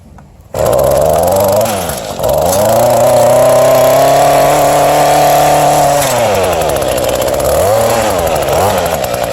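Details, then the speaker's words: Mantis cultivator tiller from scrap pile, small two-stroke, primer ball bad, run on its side on the ground: fires at once, steady crisp buzz rising and falling cleanly with throttle; runs normally. "This thing runs, it just got a bad wheel that's broken off."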